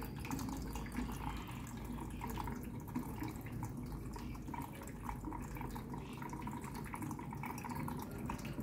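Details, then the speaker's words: Samsung washer (customer complaint: runs briefly then stops, no washing; title error 3C) during repair test, after drain pump ran: soft steady hiss of water as one inlet valve fills the drum, no buzzing; normal fill. "rồi cấp nước đã chảy một bên rồi này"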